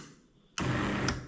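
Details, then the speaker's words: BTX classic 120 V drapery motor 101 4045 with mechanical limits, being paired to a one-channel remote by pressing open and close together: a quick half-second whirr with a click at each end as the motor jogs once, confirming pairing. "As you can see the motor jog. So we already pair and because we follow those uh those dots on the track all the limits should be set."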